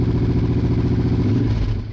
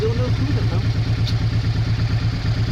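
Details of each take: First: Honda Bros/Hawk GT 650 V-twin, late-80s, just started cold after battery recharge: lumpy, uneven firing with missing beats, running on one cylinder until both cylinders pick up shortly after. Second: Honda Bros/Hawk GT 650 (late-80s V-twin), camera held near the exhaust: even, deep thump at steady idle, no misses or ticking, easing off at end; healthy exhaust. No coolant leak found.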